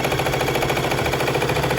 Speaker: Okay, so when you want to go faster, you have to press hard.